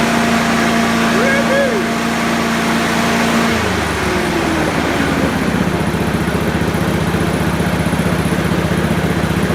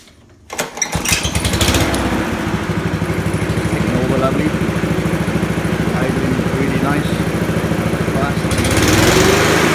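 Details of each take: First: Honda HRU216 mower after tune-up preloading governor arm to fix poor top-end revs: runs steady and strong at full throttle, then winds down smoothly at shutoff; healthy. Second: Honda HRU216 lawn mower, restarted after letting oil settle, run at fast throttle: governor set low, engine about twenty percent under full rpm; moving the governor lever raises speed markedly; governor arm needs to sit further right.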